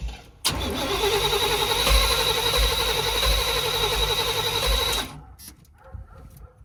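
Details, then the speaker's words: 1990s Chevy 350 5.7 V8 campervan: starter spins the engine steadily about four beats a second for four seconds, never fires; crank no start from fouled spark plugs. "And as you all can see, cranks over, but it won't start. And I know it got to be a simple fix."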